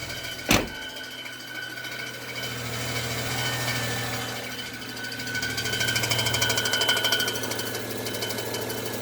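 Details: 2007 BMW E92 335i: busy metallic rattle over the running hum, thought to be the transmission but traced to a slightly bent flywheel.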